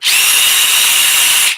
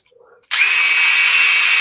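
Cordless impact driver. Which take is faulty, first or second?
second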